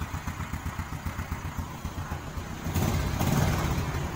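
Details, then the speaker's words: Kick-started Honda 67 SS50 single (electric start fails on a weak battery), idles with soft, even low thumping, about four beats a second, then a brief louder swell; very quiet, healthy engine, though it appears to have been opened up. "Đạp cho các bạn nghe tiếng máy. Máy im quá các bạn."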